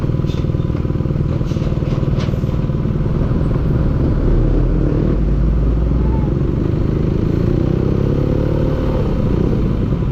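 Deep, loud running engine with a fast, slightly uneven knock of about two per second underneath; knocking from inside the engine.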